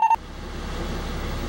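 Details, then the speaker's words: 2001 Cummins 8.3 ISC diesel in an American Coach RV, key on after a fuel filter change: two quick mid-pitched beeps then a low steady rumble; normal key-on warning buzzer while the fuel system primes for 30 seconds. "I'll turn the key on. You hear the beeping. It's a warning buzzer, and we don't want to listen to that for 30 seconds."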